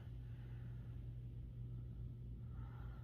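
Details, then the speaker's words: Genie garage door opener with a new app add-on, opened remotely and heard in the background: a low steady motor hum with no grinding or knocking; operating normally. "But I can remote open the garage door right here, and I gotta hit it again, and you might be able to hear it. Yeah, hear it going in the background there. And so the garage door is opening."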